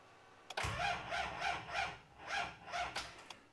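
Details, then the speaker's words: TD42 GQ Patrol diesel, cold at 13°, sat over a week, hard cold starting: slow laboured cranking in uneven surges, never catches; flat battery dragging the starter, later swapped for a new battery. "now batter's flat to start off with I'll go ahead remove that battery we'll throw it on charge"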